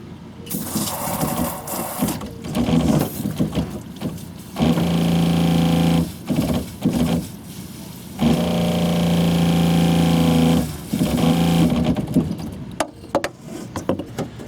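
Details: 2001 American Tradition RV fresh-water pump, recorded close up at the pump with the outside shower open while running off the holding tank: motor hums, drops out, restarts erratically. Low pressure and cycling.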